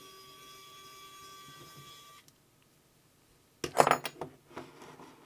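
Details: Small Hoto electric screwdriver motor, used to remove the three barrel screws on a vintage Hasselblad 50mm f/4 lens, runs with a thin, steady high whine for about two seconds, then stops; smooth and even, normal running.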